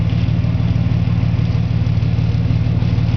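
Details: 1992 EB Series 2 Ford Falcon, 4.0 L straight six, long run on gas, first start in two weeks, mandrel-bent aftermarket (possibly Super Cat) exhaust, revved: deep, even rumble, no misses, knocks or rattles; owner suspects a leaky injector; healthy.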